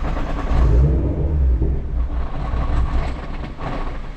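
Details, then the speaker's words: Nissan R35 GT-R with fuel pumps unplugged before replacing them with AEM pumps: engine cranks, catches and revs briefly on leftover fuel, then fades as line pressure bleeds off; normal on the first crank. "And it's okay if it does that, it'll do that for the first one. It's just getting all the fuel out of the system."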